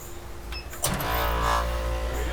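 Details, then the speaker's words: Roughly 10 kW water-cooled helium compressor for a pulse-tube cryocooler on an ADR refrigerator, first power-up after refurbishment: soft thump, then steady low even hum; compressor starts cleanly and runs healthy. "yeah we have a functioning compressor working pulse tube"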